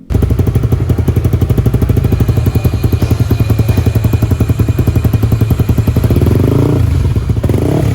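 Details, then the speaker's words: Honda CBX 150 bored up to 63mm for daily use, idling after rebuild: fast, even ticking rattle over the single-cylinder thump; valve clearance set wrong because the rocker arms had no adjuster, so they are replaced with adjustable rockers. "ternyata suaranya masih ada yang ngeletek Bang jadi kita bongkar lagi buat ngecek dan permasalahannya tuh ada di pas nyetel simsimannya karena platuknya enggak ada setelannya"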